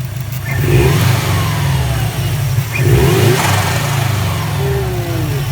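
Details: 2004 Subaru WRX, warmed up, with an SPT intake and the OEM bypass valve blocked off. Revs rise and fall over a deep exhaust note, with fluttery chatter on each throttle lift: turbo flutter (compressor surge) on revving.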